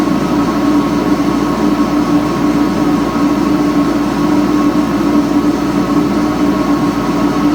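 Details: 3-phase ILG 10-P blower, 1/3 HP, 3400 RPM, started on single-phase 240 V through a static phase converter using a 10 µF run capacitor. A steady, even hum with a fixed mid tone and rough hiss over it; the motor bearings are worn and noisy, not yet replaced.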